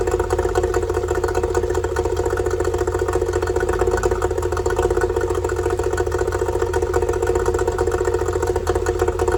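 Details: Yamaha two-stroke outboard after fixing oil leaking out of the bottom of the carburetor: no more oil coming out; even, rapid burble at steady idle with no misses, knocks or hunting; normal idle.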